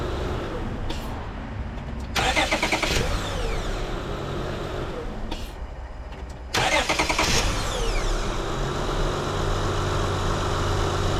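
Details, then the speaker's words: 2005 Honda Odyssey just after the starter was replaced; the old one only clicked. The starter whirs briefly, pauses, then cranks again, and the engine catches into a steady, even idle. Normal crank and start. "all right she runs that's great that's one uh one item off my list"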